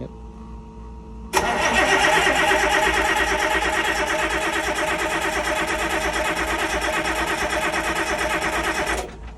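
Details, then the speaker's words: Boat diesel engine after repairs, injector bolts retightened, new fuel pump, fuel lines empty: starter spins evenly about three pulses a second, no clunks or binding; normal cranking while priming fuel. "Well, it sounds good. So there's no fuel in any of the lines."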